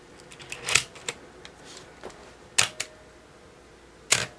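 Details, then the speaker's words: Olympus OM10 35mm film SLR with 50mm f/1.8 lens: crisp double clicks of mirror and shutter, a few seconds apart, quicker at faster setting; electronics controlling shutter speed correctly, normal operation. "and much quicker because it was set for faster so that's showing us that the electronics are controlling the uh the shutter speed as they should"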